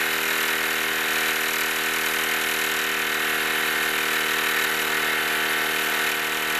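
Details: Wilesco D-18 tabletop steam engine running outdoors in a back garden, up to pressure and going fast: fast, even hiss and chuff with steady pitch throughout; normal smooth running.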